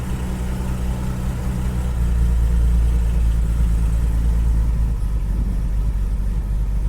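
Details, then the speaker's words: Classic car with Bosch starter that sometimes doesn't engage, after custom accelerator cable: once turned, engine starts within half a turn and settles into a steady, low, even idle with no knocks, misses or hunting. "I mean, when it finally turns the engine, it starts on the button now. It is starting so reliably. We're not having to crank it, it's starting within half a turn of the engine."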